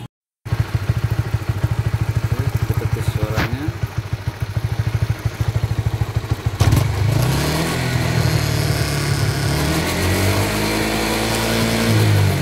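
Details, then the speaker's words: Honda CB150RR after fitting a new sprocket with glued hose as a chain damper: an even idle thump of about three beats a second, then smooth revs rising and falling with no chain slap or rattle; drive chain quiet. "Berhasil guys, tidak ada suara sama sekali."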